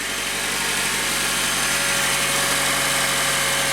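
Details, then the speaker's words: 2008 Honda Accord with an intermittent no-crank, after replacing the acid-damaged battery terminal on the 3-year-old battery: steady, even idle with a smooth fast hum, no knocks or misses; normal idle. "Let me shut it. Alright, good deal. So obviously the battery electrically is still okay."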